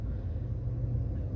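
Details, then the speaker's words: 2014 Audi A4 after oil separator/PCV replacement for a vacuum leak that caused a whistle, rough idle and misfires: steady even idle with rpm normal, no whistle or stumble, check engine light cleared. "at this time right now the car is acting normal check engine light is already gone"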